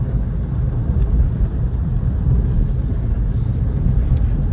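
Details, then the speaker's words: Opel Astra J 1.6 manual, 2011, test drive under acceleration through the gears: steady low road and engine rumble with no knocks, creaks or clunks from the suspension; suspension normal, everything works fine. "звуков с подвески не слышно Все работает отлично"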